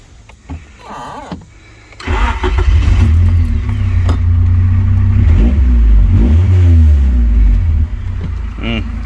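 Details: Honda CRX Si after replacing the stock muffler with a sealed replacement muffler, disconnected from a hole underneath: engine cranks and catches, then a deep, loud, blatty exhaust swells with each rev; holed muffler exhaust leak.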